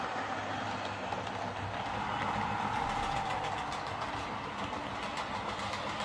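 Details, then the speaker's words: Lima Eurosprinter model locomotive after repair for screeching, running on the layout: steady growly hum with soft rhythmic track clatter, no catches or surges; super smooth and gliding thanks to its weight. "You know, it's super smooth, which is due to its weight. It just glides over the track in quite a realistic way."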